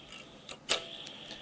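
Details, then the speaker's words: Powercolor R9 380X 4GB graphics card fan, one of two, whines thin and high with irregular ticks; worn bearing with slight axial play on the shaft, before cleaning and oiling with clipper/sewing-machine oil. "can hear it's not great and actually the fan itself there's a little bit of movement on the axis slightly more than the other one"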